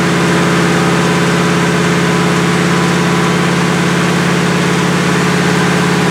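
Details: 1977 Chevrolet Malibu on a cold start at about 57°F with a non-functional choke, held at high idle (about 2,200–2,500 rpm) for a 15–20 minute cam break-in run; steady, smooth even pulse with no ticks or knocks, healthy high idle.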